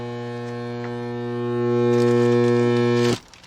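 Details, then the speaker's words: 1985 ASC McLaren coupe that sat since 2002, engine not running: loud steady hum inside the car, on one side, right after hooking up a battery charger, then abruptly stops; owner believes the fuel pump is mechanical, cause unknown. "i just hooked up the battery charger and now i got something making noise inside the car like in a big way it's loud"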